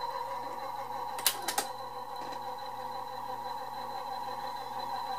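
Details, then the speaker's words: Harman/Kardon CD 91 cassette deck partly repaired with makeshift parts: steady motor hum with sharp clicks and uneven rattle from the tape mechanism, sounding like a diesel engine; cause unconfirmed. "now of course it still sounds like a diesel engine now we're gonna get getting a lot further than than I did when I first got it"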